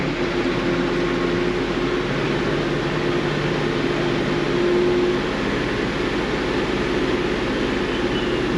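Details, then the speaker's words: Kia Sedona V6 runs rough with a dense, clattery rattle that persists as revs rise; misfires on one bank, and a wrench on the belt tensioner changes but can't stop the noise. Cam phaser judged completely gone. "not happy no matter what we do so the cam phaser got to be all all the way all the way gone"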